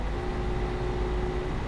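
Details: Haswing brushless trolling motor with aftermarket potentiometer, mounted on a Hobie Outback kayak, at full forward throttle: steady high electric whine with water rush underneath, holding even with no surging; the motor is running healthy.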